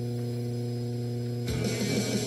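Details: 1950s Bell tube amplifier (mono) driving a vintage Japanese Radio Shack 8-ohm patio speaker from a portable CD player: steady low mains hum and deep buzz under everything before the music starts.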